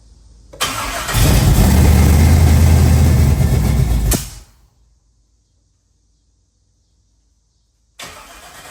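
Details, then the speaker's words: 1963 Chevy Nova SS, 355 small-block, 750 Holley Dominator, Turbo 350: cold V8 catches and revs hard about three seconds, backfires on throttle and dies abruptly; valves possibly too tight, timing or fuel suspected. "Yeah, but as soon as you gave it gas, it backfired."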